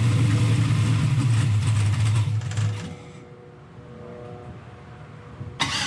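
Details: Turbo LS-swapped Ford Mustang, after earlier cranking issues, fired inside the shop: cranks briefly about three beats a second, fires and settles into a smooth even run with no ticking; healthy start.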